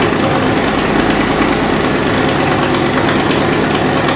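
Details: Fox Body Mustang V8 at idle after new valve seals, quick sharp ticking chuff on each firing pulse; exhaust leak at the passenger-side header with the X-pipe, later cured by fitting an H-pipe.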